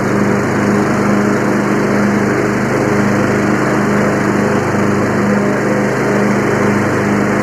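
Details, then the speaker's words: Free Yard Machines 20hp tractor, 42-inch deck, started via direct battery to starter: steady even drone with blades spinning and cutting grass, no misses or surging; normal running under load. "I'm going to have to get back in touch with my buddy and tell him hey I got it started running drove it cuts grass"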